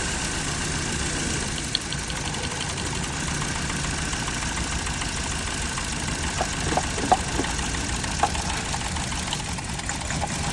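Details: Uneven idle with occasional stumbles and pops over the steady run; engine misfire at idle.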